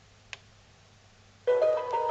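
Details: Boomshaker Bluetooth speaker after repair, control part removed and refitted with hot air: short click then bright chime and tone prompt on pressing power; powers up and works normally.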